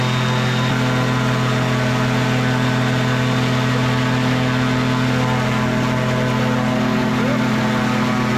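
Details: Microlight two-stroke with three-bladed prop at high throttle: loud steady high-rev drone with prop at constant pitch, no surging or missing; held RPM with serious power, normal.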